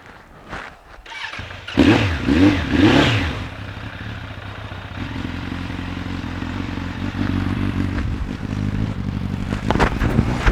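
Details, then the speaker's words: Suzuki Bandit 1200 project bike, which seems to be running on three of four cylinders: uneven idle with a puffing, chuffing note at the pipe end as a hand cups it; suspected exhaust blow, not confirmed. "now if you put your hand over the ends can gently it cuts it out but I could hear a blow from this let's try that again"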